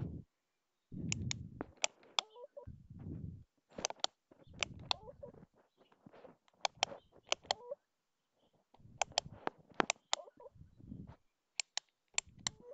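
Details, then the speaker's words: Honeywell Turbo On the Go battery fan left on overnight until its batteries ran down: sharp irregular ticks and chirps as the motor stutters on and off, starved by weak batteries. "well the batteries ran down and uh I want you to listen to this noise it makes"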